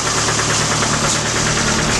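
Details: Suzuki Samurai engine, reassembled with oil pump working and no oil light, run about 5 minutes: a sharp, steady tapping knock of several beats a second over the idle, not there long ago; owner fears a rod knock, unconfirmed.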